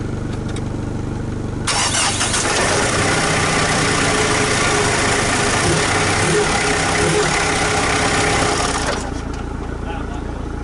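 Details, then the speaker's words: First start of a turbocharged rebuild project after about 8–9 weeks of work, on a likely low battery; the starter catches quickly and the engine settles into a steady, smooth run; normal start and idle. "She starts! Was it in 8 weeks? 9 weeks? Something like that."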